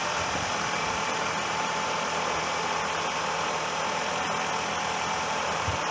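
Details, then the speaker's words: Toyota 2.4-liter 2AZ-FE four-cylinder idling after valve cover gasket replacement: even, steady hum with a faint light ticking, no miss or knock; initial smoke was oil in the cylinders burning off. "So the car is running, and that big puff of smoke is the oil that went down in the cylinders. It burns right off"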